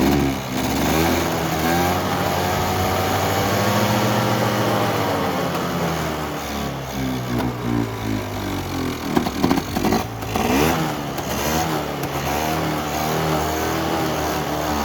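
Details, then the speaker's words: Polaris Trail Boss 350 two-stroke quad, abandoned 15 years, revived with fresh fuel and a jump start, fed from a gas can: buzz rising and falling with throttle, picking up cleanly without bogging: normal running. "wow wow sounds good we going to put her on the limiter for a minute straight I'm kind of impressed as crappy as it looks"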